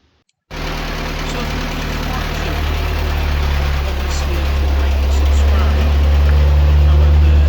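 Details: Morris Minor Traveller after misfire repair, with spark plugs, HT leads and carb parts refitted; engine catches and settles into a steady, even low hum at about four beats a second with no miss, running healthy.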